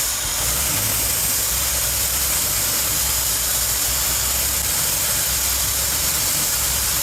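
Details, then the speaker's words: 1964 Ford Thunderbird FE 390 with Edelbrock EFI, first run in over 40 years, fuel pressure set correctly: hunting uneven idle under heavy intake hiss, never settles; owner suspected timing — rough idle. "all right got the fuel pressure set to where it should be but this thing's not settling out so I'm not sure what it's fighting it feels like it's fighting itself somewhere"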